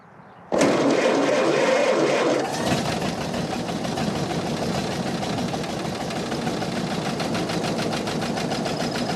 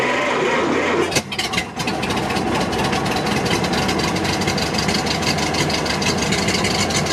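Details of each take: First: 1929 Ford Model AA Express barn-find truck, sat over 30 years: catches on the first crank and settles into a steady, even four-cylinder idle with no misses or knocks; owner unsure whether cylinder 4 is fully firing. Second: Barn-find 1929 Ford Model AA truck, first start in over 30 years, cold with no coolant, after carburetor float fix: cranks, catches and settles into a lumpy, lopsided idle with a missing beat; rough idle, dead cylinder.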